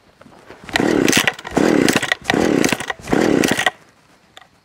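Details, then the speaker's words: Stihl 015L top-handle chainsaw with points ignition, choke lever, no primer bulb, cold start after sitting about three weeks: four pull-start rasps with nothing catching; hard starting, struggles to draw fuel after sitting. "so this one does not like to start that easily if it sets for a long time it's hard for it to get fuel up"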